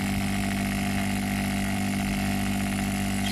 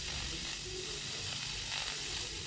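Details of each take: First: Opened refrigerator compressor on test, run after adding test lubricant: steady low hum near 200 Hz with faint rattle on top; dirty valves. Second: Refrigerator compressor tested out of the fridge, at discharge outlet: strong, steady hiss without faltering; suction and discharge pressure still good, but compressor deemed unusable because it continuously spits oil from the discharge side.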